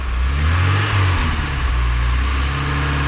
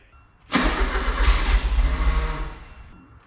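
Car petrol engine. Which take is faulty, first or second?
second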